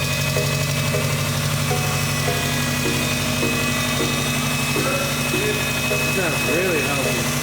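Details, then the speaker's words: Subaru GC8 Impreza wagon after throttle adjustment (was running rich) and reconnecting an unplugged injector: even, steady idle on all four cylinders, no misses, music over it; normal idle. "now plugged in the injector and it's running on all four cylinders and the idle is almost perfect"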